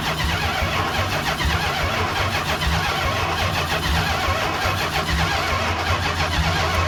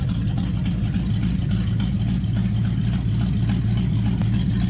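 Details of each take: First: 1969 Chrysler 300 V8, neglected car's first start after revival: long churning crank before it catches into a rough rumble; slow to fire, seemingly fuel-starved. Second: 1969 Chrysler 300 at first start with a 440 V8 test-mule engine, exhaust not yet hooked up, running on open manifolds; loud, deep, even burble at steady idle with no knocks or misses; normal idle.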